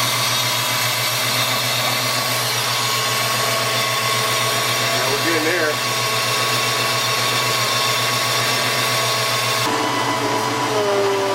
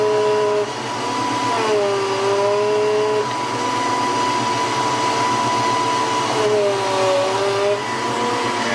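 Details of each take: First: 1993 Ford Mustang GT foxbody, Coyote swap, hydroboost after brake bleeding and fluid change: steady even whirr from engine bay with no whine; power steering pump running quiet, steering smooth. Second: 1993 Ford Mustang GT foxbody with Coyote swap, engine running while bleeding hydroboost and brake lines: steady high power steering pump whine that bends lower as the wheel is turned; air in the hydroboost system.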